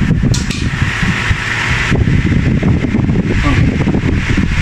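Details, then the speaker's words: Old-style KDK wall fan after capacitor replacement, running on speed 1: smooth, steady hum with even airflow and no rattle or growl; quiet and healthy, the noise is gone. "Ayos na tong si KDK. Wala lang sabitan dahil wall fan. Number 1. Wala nang ingay. Oh, suabe na."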